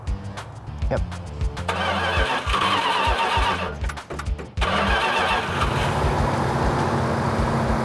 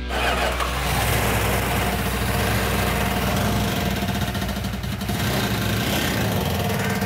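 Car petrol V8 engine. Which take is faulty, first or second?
second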